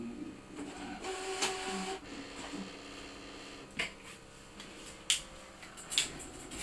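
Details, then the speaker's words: Brother ScanNCut DX cutting machine doing a half cut on paper at speed 3 with automatic pressure: light whirring, quick ticks and short buzzy moves, quieter than CM models; normal cutting, paper cut perfectly. "As you can hear, it's a lot quieter than your DX CM machines."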